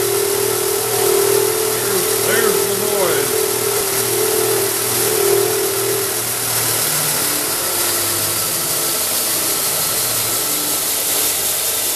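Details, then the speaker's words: Shop Fox W1676 disc belt sander, years of use: steady motor hum with persistent high whirring rumble, once intermittent now continuous; bad bearing suspected, factory assembly careless. "almost sounds like a bushing trying to go but there are no bushings on this and there's no grease zerks degrees any bearings so at this point in time we're going to take it apart and keep taking things apart until we find a bad bearing"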